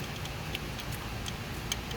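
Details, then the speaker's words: Chrysler 3.6L Pentastar V6 with the lower intake off, engine turned by hand: light, uneven metallic clicks from a loose, worn rocker arm that moves. The cam is slightly scratched; all rockers are to be checked. "because this rocker is moving, but I'm gonna take the cam off and check all of them."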